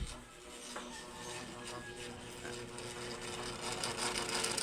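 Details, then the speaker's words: Electric fan on speed 3, turning very slowly and dusty: steady motor hum with uneven rapid clicking rattle from a worn bushing and shaft needing replacement. "Diyan pa lang alam ko na kung ano yung sira noung bushing at shafting natin. Gusto na nga magpapalit yan."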